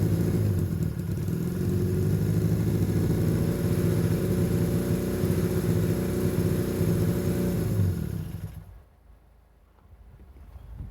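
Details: Long-sitting, previously seized Honda Benley "Baby Dream" twin idling with an even low thrum for about eight seconds, then shut off, after the carburetors were cleaned and properly reassembled.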